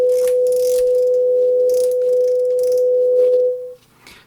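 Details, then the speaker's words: JVC VN-300 amplifier after repair, started through a bulb limiter, passing a clean steady test tone from a phone generator on AUX 1 with no crackle, hiss or hum; clean output. "No okej, ruszyło, jest bez problemu. Już nic nie trzeszczy, nie szumi, także chyba będzie dobrze, nie?"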